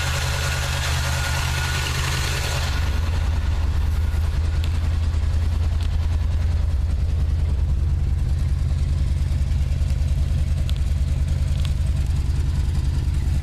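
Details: '79 Chevy truck 350 with automatic choke idling lumpy with an occasional uneven stumble. Compression test and plugs show a sound bottom end with no oil or fuel fouling; cause unknown. Misfire at idle.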